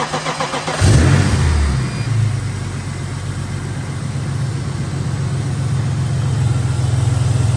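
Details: BMW E34 with S52 engine, first start after replacing a cracked oil pan and all underbody bushings, fresh oil added, checking for leaks: starter cranks briefly, quick flare, then a smooth, even idle with no knocks or ticks; a healthy start.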